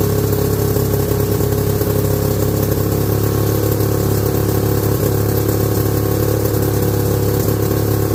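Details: 1969 or 1970 Sears snowmobile with a single-cylinder Kohler two-stroke, left sitting outside about a year, on its first run after revival: loud, slightly hunting idle with a hard exhaust note. It is sucking air, so it runs lean.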